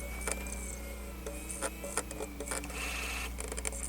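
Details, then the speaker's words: Sony MZ-N420D MiniDisc player after lens cleaning, lubrication and contact cleaning: a whirring spin with irregular clicks, chirps and scraping grinding bursts as it fails to read the disc and shows 000 and an error. Fault unresolved. "Yeah, horrible grinding noises. I don't know what the heck is that supposed to mean."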